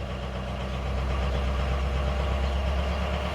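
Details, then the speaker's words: Ford 6.0 Powerstroke diesel after a new FICM: uneven idle with a recurring lumpy stumble; crank-speed contribution test shows a misfire on cylinder 7, and cylinder 3's low reading is likely only an artifact of firing order; faulty injector. "It knows how long it should take at every RPM, so if it slows down when 7's firing, that means we have a misfire out of 7."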